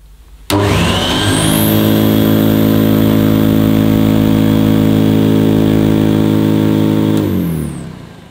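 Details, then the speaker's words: Near-mint vintage 1970s Electrolux 504 vacuum cleaner, first switch-on after purchase: motor spins up sharply to a steady, even hum with a deep bass tone and a high whistle, then winds down smoothly; nothing wrong, running normally. "well nothing wrong with that you can hear the pita bass on this model"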